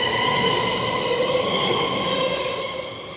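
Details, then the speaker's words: Auckland metro train at Ōrākei station on the Eastern Line, accelerating away: steady glassy ringing of wheels on newly renewed rail, sleepers and ballast, like a finger around a glass, growing louder. "so that transitions then into the sound of rail noise, which is more of a ringing noise. In this location because everything's new, it's almost like running your finger around the glass, it's very consistent"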